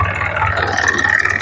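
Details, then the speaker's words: Isuzu 4HL1 fully electronic diesel after knocking repair with new pistons, reassembled and retimed, coolant filled; smooth, even running with no knock, quiet; healthy idle. "So yan guys ang ganda ng andar niya. Matining, walang kalansing, hindi maingay."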